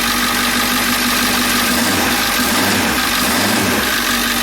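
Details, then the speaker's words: Ford E350 van with the 7.3L diesel, after a crank-no-start from a short blowing the ECM fuse was fixed: glow plug relay clicks, then it starts into a steady, even diesel idle without misses or knocks. "so now i'm gonna crank it and it should start now are you guys curious so let's see so right there guys the van is now running"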